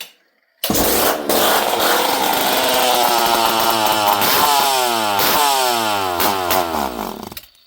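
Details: Poulan 5200 Countervibe chainsaw, unrun for 5-6 years, started with no choke and fuel added: catches and revs briefly, pitch wandering and sagging, then stalls as if starving for fuel; owner unsure the carb picks up fuel.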